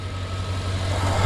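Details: 2007 Chevy Suburban with stalling and extended crank complaint, in cold weather, after reconnecting the MAP sensor, clearing codes and finding 5 V on references 1 and 2: steady even idle, no stumble; a harness short suspected.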